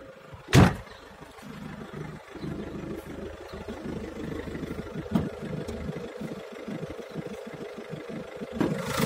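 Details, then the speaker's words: Peugeot 308 1.6 HDi diesel idling with an uneven light rattle and a couple of knocks over the low chug. The rattle is attributed to the intake bellows (boot). "Ce se aude pe aici e un zdrângănit de la burduful ăsta de admisie."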